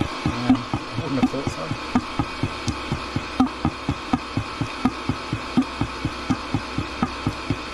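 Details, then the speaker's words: Diesel heater that was burning oil-mixed fuel makes rhythmic wet glugging under a low hum while shutting down. Fuel was found in the air inlet, suspected flooded combustion chamber; fix was cleaning plus new gaskets and gauze filter. "sounds like liquid in there maybe the combustion chain is flooded I don't know if you can FL these things or not"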